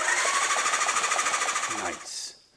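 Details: Old Suzuki motorcycle, non-running marketplace find, after cleaning the switches and a terminal; starter spins the engine with quick, even whirring pulses for about two seconds. Strong, normal cranking, spark not yet checked.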